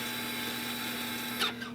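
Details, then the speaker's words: 2022 Toyota Highlander AWD with an electronic parking brake, rear brake released into service mode by scan tool: a steady high electric actuator whine for about 1.5 seconds that stops cleanly. It retracts normally. "We use the scan tool, hit OK, and you can hear it releasing."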